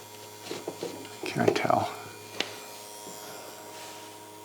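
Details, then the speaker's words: Original tube radio in a 1956 Chrysler Windsor cut down to a two-door (300i concept), powered on the bench: low steady hum with faint buzz under shop clatter; all tubes glowing and working, normal tube radio hum. "so it appears as though all of these tubes are working that's humming away"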